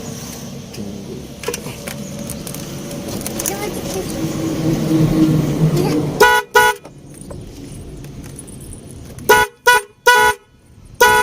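Two sets of loud, clean, steady horn blasts with a bright even tone, cutting in and out crisply; the horns work normally.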